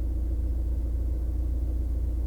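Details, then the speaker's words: 2014 VW Passat TDI diesel with 70k-mile injectors, faint knock, idling after RPM drop, better as it warms; lumpy uneven idle with low throb that stumbles and sputters: misfire from clogged injector. "as it warmed up it got better and better and if you look here in this video after I dropped the RPMs from about 1 and it's idling it starts"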